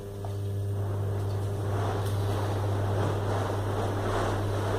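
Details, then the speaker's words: Split air conditioner blower wheel spun on a balancing stand by its motor with 2.5 µF capacitor on 220 V; deep hum and rushing air, shaking because the wheel is unbalanced. "temblando O sea que hay que balancearla bien"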